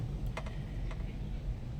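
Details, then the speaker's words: Mitsubishi L300 Euro4 that won't start: a few sharp starter clicks with no cranking; loose starter contact or weak battery suspected. "So parang ang nangyayari 'pag ini-start mo siya uh parang hindi kumo-contact na maayos 'yung starter or hindi check natin 'yung baterya kung mahina."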